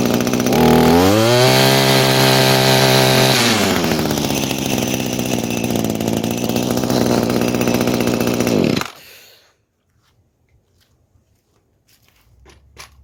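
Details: 22-year-old Echo two-stroke string trimmer with worn, not-quite-right metering diaphragm swapped into its leaking carburetor: revs up, holds, then sags and wavers before cutting out; hesitation remains, new carburetor on order.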